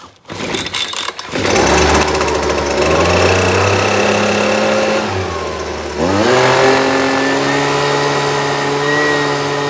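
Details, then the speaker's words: Husqvarna 125BV two-stroke, started on choke and run indoors: the revs climb, then sag and stumble when throttle is given before picking back up, bogging; a tune-up, carburetor cleaning and a fuel change are planned, cause unconfirmed. "I could probably let it warm up for a good while and it run a little better but with it falling on its face like that we're going to go ahead and just do a tune up on it"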